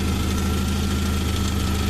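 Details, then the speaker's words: 1995 Jeep YJ after no-start fixed by fitting a new ignition coil: short stretch of steady, even idle with slightly loud exhaust (muffler had blown, possibly backfire); engine starts and keeps running. "Oh now I just got to put the coil back in its regular their original position and I believe I have fixed starting issue"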